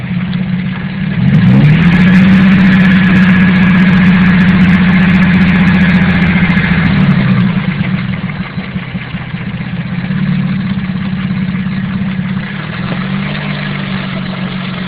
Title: KLDE has cancer.... AKA Rod knock